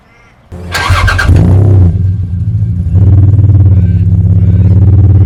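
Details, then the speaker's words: 1975 Toyota Crown MS85 with swapped 2JZ-GE, first start after fuel system work, fuel pressure 42 psi; settles into a steady, even low rumble with a brief rev, no knocks or misses, good oil pressure, no overheating, runs well. "She purrs like a kitten. She runs good, she sounds good, the oil pressure is good, she does not overheat."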